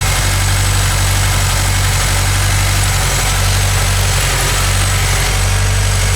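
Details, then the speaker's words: Scion FR-S with codes P0302 and P219A: lumpy uneven idle with irregular stumbling beat, cylinder 2 misfiring from a failed ignition coil pack. "something just doesn't seem right look how rough the motor is running all right so the car is not supposed to sound like that uh houston we have a problem"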